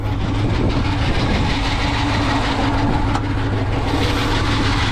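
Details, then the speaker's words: 1968 Ford Mustang V8, 39,444 miles, at idle: steady, lumpy idle with a faint constant whir over it; alternator pulley visibly wobbling and making noise, needs replacing. "sounds good but like I said it is making a pulley noise"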